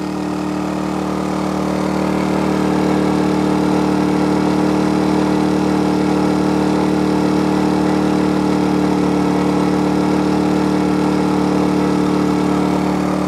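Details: Energizer eZV2000P gas generator almost running flat out, powering an RV camper, a lithium battery-bank charger and a Lion Energy power station charging at about 700 watts: steady, even drone with firm constant hum, no hunting or misses; healthy under heavy load.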